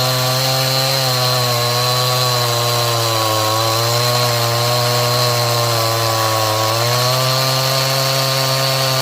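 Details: Stihl MS180C 32cc chainsaw, cold: steady scream whose pitch sags twice under cutting pressure, improved when warm and fixed by carb tuning; bogging under load.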